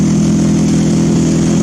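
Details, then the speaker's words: Old Mazda engine on a homemade ignition control computer, heard outside at the tailpipe of the homemade muffler. Loud, deep, steady drone at fast idle; the makeshift muffler does little to quiet it, and the owner hopes to fit the original car's muffler parts. "It's a bit louder than I'd like at the moment, but I'm hoping I can improve on that."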